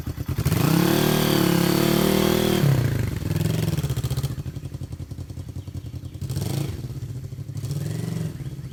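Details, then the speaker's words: 1973 Honda CB350G twin, 4404 believed-original miles, engine cold and not yet started that day: catches, revs up strongly, then drops to a steady, evenly pulsing idle with occasional blips; healthy engine. "Let's start it up. Engine's cold. It hasn't been started yet today."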